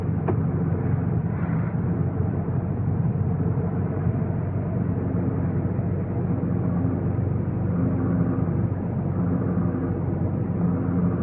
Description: My 2015 GTI Autobahn has a horrible grinding noise for the past five months, and VW Corporate is not willing to help.